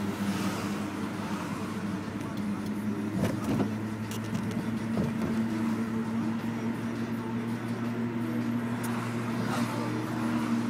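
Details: BMW E46: a faint, steady low whine over the running engine with road noise; alternator failure is suspected, not confirmed.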